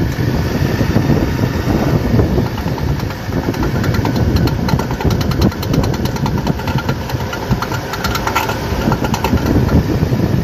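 Engine running underneath with scattered sharp metallic clunks in short bursts; typical of a worn drive shaft U-joint with play.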